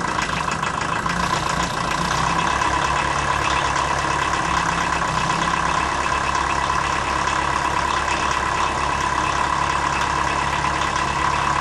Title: Rough idle on cold start, blue smoke